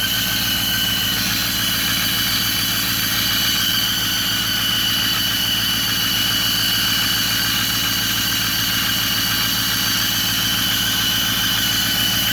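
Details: 2008 Ford F-350 Super Duty 6.4 diesel at idle: steady high whistle of constant pitch over an even idle; noise vanishes when the turbo actuator is pushed, but the mechanic identifies an exhaust manifold leak.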